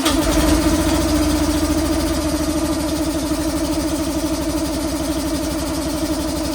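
Engine catches and settles into a steady, even idle with a smooth low drone; it's running fine while warming up.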